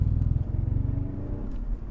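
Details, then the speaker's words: 2005 BMW E46 330Ci ZHP accelerating in first and second gear: heavy throbbing low rumble from out-of-balance drive shaft underneath; worn center support bearing or its rubber bushing (most likely bushing) causing vibration. "This is the drive shaft vibrating underneath. Yep, so you can hear, especially first, second, even third gear, you can hear it because the drive shaft is getting out of balance."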